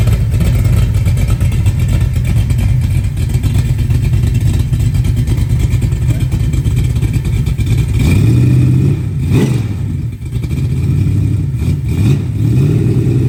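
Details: 396 big block Chevy on a run stand, first run after rebuild with fresh oil, stock-jet carburetor: deep even rumble with a few sharp throttle blips near the end, no valvetrain ticking; healthy.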